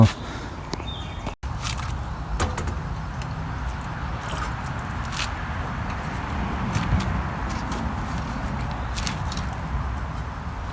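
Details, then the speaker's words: 1972 Snapper Comet 26-inch rear-engine mower, 8 hp Briggs Hi Vac, stored for years: first start, the single-cylinder catches and settles into a steady, even low rumble with no misses. "it's unbelievable that's the first start um so uh I'm a little surprised and shocked actually"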